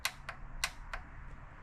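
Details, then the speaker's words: 1972 Mercedes-Benz 350 SL R107 cold start injector energized directly from battery, engine off: sharp distinct clicks at irregular intervals each time energized; injector actuating normally. "I'll hook one side up to the positive side of the battery, and then I'll energize the negative side, and you should be able to hear that it clicks."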